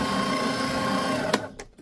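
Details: New Fellowes Powershredder 6M 6-sheet shredder, unboxing demo, switched to reverse (R) mode: even, steady whir at constant pitch that cuts off cleanly; motor runs normally in reverse.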